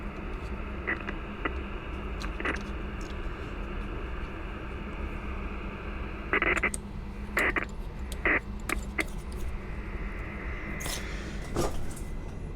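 Steady hiss with a faint constant whistle and buzz that stays with the antenna swapped for a dummy load: switch-mode supply noise getting into the receiver.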